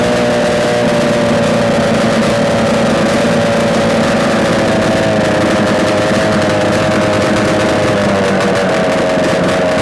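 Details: Yamaha RD250 two-stroke twin on a test-stand mount with total-loss ignition, idling after coil wires were swapped; even, buzzy idle at steady pitch, no knocks or rattles, smoking with oil; running cleanly, likely a good engine.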